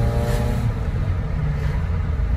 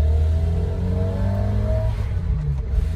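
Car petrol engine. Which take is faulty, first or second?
first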